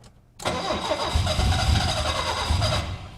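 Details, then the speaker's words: 1972 BMW 2002 with fuel disconnected from the tank, suspected flooding, started without pumping the pedal: catches suddenly after silence and runs loud and uneven without settling; hard start. "see if it runs smooth because sounds like she's getting into a flooding condition not even going to pump the gas on this one we'll just turn the key oh she's getting better hold on"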